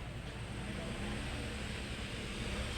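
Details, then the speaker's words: Electric fan after shaft bushing replacement, spins freely by hand, running on speed 1: soft even whir, low steady hum, no clicks or ticks; runs smoothly on new bushing, normal. "pakinggan natin kung may lagitik. So, wala, no? So, okay na yung ating electric fan."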